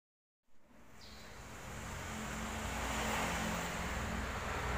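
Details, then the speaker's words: Medium bus AC: harsh rising growl after a click as the AC engages; the original compressor is badly worn, its clutch magnet plate/centre piece broken; condenser fins also damaged; owner chose replacement of the compressor. "untuk kompresor bawaannya udah apa ya udah parah ketika dinyalakan akses seperti itu dan kita cek magnet platnya atau senterpiesnya nih udah jebol seperti ini"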